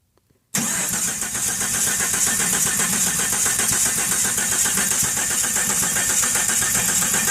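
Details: 1997 Jeep Cherokee XJ with new plugs, plug wires, distributor, cap, rotor, Mopar crank position sensor and coil, and good spark and fuel pressure. The starter spins steadily for seven seconds with a fast, even chug and no cylinder catching: cranks but won't start.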